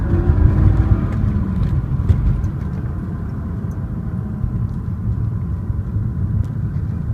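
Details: BMW E36 M3 six-cylinder running with a deep, muffled rumble and uneven pulse under its note; owner can't identify the source of the weird muffled noise.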